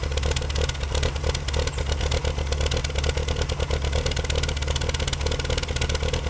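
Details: BMW M3 E36 3.0 after instrument cluster change: hard shaking, low, lumpy idle with heavy surging throb, no fault codes; fixed: new cluster didn't pass diff speed signal to ECU, so fuel tables were wrong.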